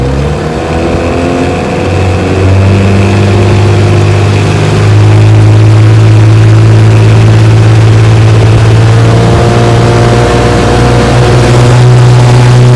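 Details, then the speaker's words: 1968 Evinrude 9.5 HP two-stroke outboard, restore #88 with rebuilt carburetor, at full throttle on a bayou pushing a 14-foot john boat about 18 mph. Strong, steady drone climbing in pitch, clean and even with no misses. "She runs great. I mean, idle's perfect. Pushes my 14-foot John boat here about 18 miles an hour, which is awesome for a 9.5. I mean, she just flies."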